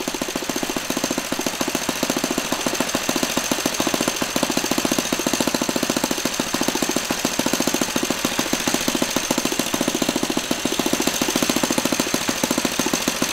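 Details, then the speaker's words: Laser 100 single-cylinder RC model engine, first run after 15 years without cleaning: high revs with a fast, harsh metallic clatter on every firing stroke. The front housing came loose; after rebolting it still clanked and knocked. "I did manage to bolt the engine the front housing back onto the main block I could turn it over the wall steel compression but definitely had a very metallic clanking and knocking sound where it didn't before"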